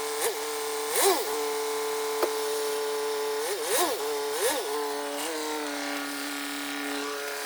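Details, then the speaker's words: BMW 120d diesel after clutch change with a solid flywheel replacing the dual-mass unit: steady idle with a few brief revs rising and falling cleanly, a touch of extra rattle from the solid flywheel; normal running, drives and revs nicely. "it works, it runs, it pulls forward, it reverses, it pulls back, and it revs quite nicely."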